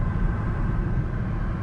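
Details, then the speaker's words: Mazda 3 after fuel tank, fuel pump, retainer ring and pump gasket replacement: smooth low rumble while driving with no stumble, knock or whine; gas gauge reading, no check engine lights, no leaks. "all right so now you can see the fuels all right so driving fine got the gas gauge up no check engine lights"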